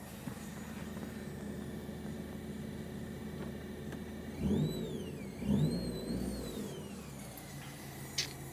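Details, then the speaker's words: Stratus with the engine running and the mic next to a speaker, radio on. A high whine from the speakers rises and falls with throttle blips. The left rear speaker is dead and the check-engine light is on (no cat). Speaker whine. "we're gonna turn on the radio here so turn it down here whether or not you can hear that noise if i mention next to the speaker"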